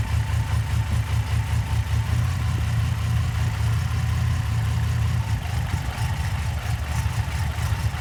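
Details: Idle with an uneven lope and a regular stumble in the low beat, about two or three a second: light misfire on cylinder #4.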